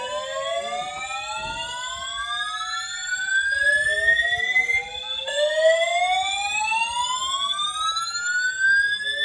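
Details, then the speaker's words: Building fire alarm sounding its evacuation whoop after waking the occupant in the morning; repeated rising whoops sweep up over a few seconds then restart, likened to a duck; the occupant doubts a real fire. "Now, this one sounds like a [ __ ] autistic duck, bro. Jesus Christ. The hell?"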